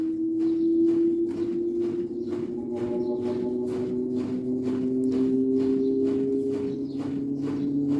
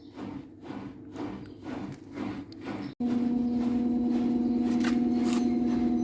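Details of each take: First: Daewoo direct-drive inverter washer-dryer (9 kg wash, 7 kg dry), spin ramping up: loud siren-like whine climbing in pitch with rhythmic clicks; not bearings, faulty motor stator hall sensor, fixed by replacing it. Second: Daewoo direct-drive inverter washer-dryer (9 kg/7 kg), spin-only cycle after replacing damaged stator Hall sensor: steady, even motor hum with no knocking, scraping or rumbling; the earlier abnormal noise is gone, normal spin.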